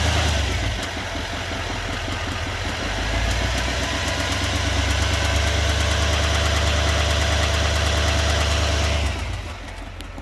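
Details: 2020 Chevrolet Silverado 2500HD Duramax diesel at idle: fast light tick, roughly four per second, over the diesel clatter; owner asks whether it is normal, source unclear.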